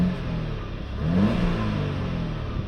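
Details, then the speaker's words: Audi A5 1.8 TFSI after oil separator and boost pressure sensor wiring repair, turbocharger boost circuit code still present: short rev blip falling straight back to steady idle, no stutters or hunting; healthy. "The engine seems to be handling it well. It's coming back down to idle nicely and there's no stutters or hunting or anything."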